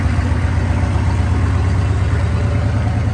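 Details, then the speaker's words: 2000 Chevrolet C3500 4x4 turbocharged 6.5 L diesel at idle, good oil pressure: deep, even rumble, no knocks or misses; turbo spooling nicely, healthy running. "Oh, very good. Very nice. The turbo's spooling nicely."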